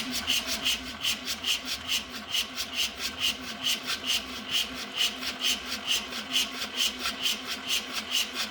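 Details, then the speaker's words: 1985 Mazda RX7 GSL-SE (FB, 13B rotary) cranked after sitting 24 years, with suspected electrical issues. Slow, labouring cranking with a dry scraping tone and no catch, later spinning a little faster; the positive terminal got hot. "You notice that the engine did start spinning a little faster after a while, which was interesting."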